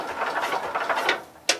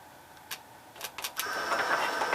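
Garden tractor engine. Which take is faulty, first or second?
second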